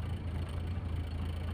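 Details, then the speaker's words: Toyota Starlet cold morning start, choke lowered from about 1100 to 1000 rpm; steady even hum with no knocks or misses, normal idle. "stabil di 800. Biasanya itu yang saya lakukan sebelum berangkat . Jadi, tunggu sampai mesin benar-benar stabil dan berjalan lancar."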